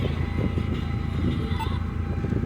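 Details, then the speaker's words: 2004 Hyundai Tiburon, 55,000 miles, previously idling badly and stalling in drive, after idle air control valve replacement; steady even low idle with AC full blast, no dips or hunting; no longer stalling, holding idle cleanly. "but it's not stalling stalling like it was before because before when you'd put it in the drive they'd want to stall pretty quick"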